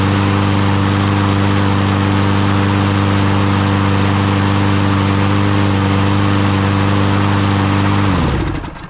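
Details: Troy-Bilt (MTD) push mower after carburetor cleaning or replacement to fix bad-fuel no-start: the small single-cylinder engine holds a steady, even run for about eight seconds, then shuts off cleanly, normal running.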